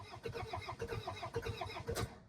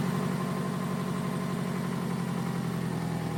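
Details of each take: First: 2002 Toyota Camry, 273,000 miles, sat over 5 years after shutting off while driving: starter cranks evenly but never catches, tach not moving; coil pack harness found cut and fuse blown, no ignition; crank no start. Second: 2002 Toyota Camry, 273,000 miles, sat over 5 years, after splicing the cut coil pack wiring back together: smooth even idle with steady low hum, no knocks or stumbles; normal healthy running.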